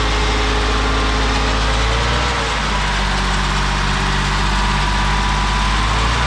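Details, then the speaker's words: 1987 BMW 528e (E28) that sat about two years, running on bad-smelling old gas with a big split in the intake: uneven, lumpy idle over a heavy mechanical drone. Suspected at least one cylinder not firing and a horrendous noise thought to come from the transmission; unconfirmed. "sounds like we've got at least one cylinder that's not firing and there is a horrendous noise coming from what we think is the transmission"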